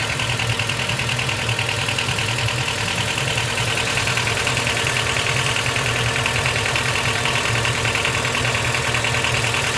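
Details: Honda Step WGN RG2, 2005 (Heisei 17), abnormal engine noise at idle: steady idle with a fairly regular light tapping, roughly three per second, over the engine hum. Source unconfirmed.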